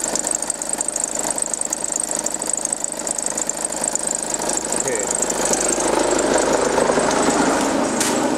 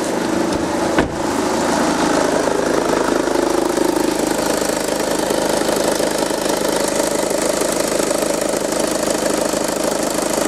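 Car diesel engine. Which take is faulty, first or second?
first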